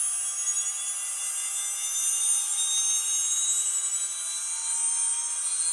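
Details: Atlas launcher gyro rotor spun up on 115 V AC across terminals A–B with a 270 nF capacitor added: a steady, high shrill whir with several piercing tones over a hiss and no low rumble. The rotor is very noisy at full speed.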